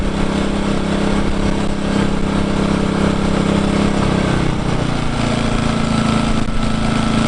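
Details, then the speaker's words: New Engel 2500W inverter generator, first run, no load, Eco throttle switched on: steady hum drops to a lower, even pitch as it idles down; smooth and healthy. "listen to that that's beautiful so that's just idled down now"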